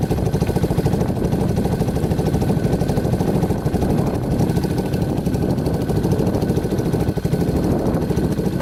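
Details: Yamaha Warrior 350 quad on a test drive after carburetor cleaning and other fixes: even, rapid single-cylinder thump, no popping, misses or backfires, good power, hardly smoking; running clean and healthy.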